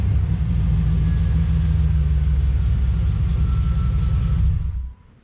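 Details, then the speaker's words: 1991 Chevy Silverado OBS small-block V8 with 399k miles, revved: deep, even rumble held steady with no misses or knocks, then cut cleanly; sounds pretty good, normal revving. "We're just fixing other things, okay? We're making ourselves feel better about this, okay? Sounds pretty good though."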